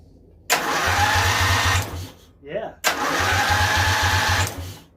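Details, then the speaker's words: Briggs & Stratton V-twin on a hot-rod lawn tractor, after starter gear repair: two even cranking bursts with a steady rapid churn and no grinding; the earlier noise is gone and the starter engages cleanly. "and notice it's not making that crazy noise anymore either that sounds beautiful"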